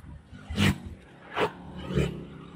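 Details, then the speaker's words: Yamaha STX125 road-tested after a misfire (palyado) that persisted despite carburetor cleaning and tune-up, now repaired: three quick throttle blips rise and fall cleanly with no stumble or popping. Runs smoothly, no longer misfiring. "ha dire-diretso na boss Ah hindi katulad kanina unang andar niya"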